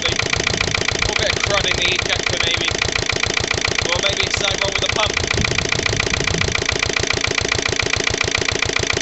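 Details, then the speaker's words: Lister LD1 single-cylinder diesel on a chilly 5–6° morning after a fuel filter change: steady rapid thumping under load, uneven at times. Rough running; owner suspects an air lock in a fuel line, perhaps a missed bleeding step. "I should think is probably just a um probably just an air loock in a fuel line or"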